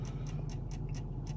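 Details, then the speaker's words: Chrysler 300C left idling before front-end work (control arms) to charge the battery; steady light ticking about three to four a second over a low even engine hum, not tied to engine speed; source unknown, possibly a CD changer; clicking with engine running. "and if you hear that clicking i don't know what that is i think somebody said that was a cd changer but i don't know for sure"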